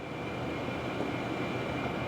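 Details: Tesla Model S P85 after blower motor resistor and DC/DC converter replacement fixed no airflow: steady even rush of air with a faint constant high tone, no rattles or surging; cabin blower working normally.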